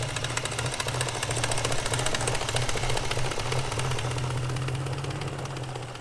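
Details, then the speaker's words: BMW 540i V8, first drive after engine reinstall: uneven rapid slapping about three times a second over a rough idle, sounding like timing chain slap; an idler between intake and exhaust camshafts had been left untorqued. "I don't know, that sounds like Chain slapping. Gotta spray oil everywhere."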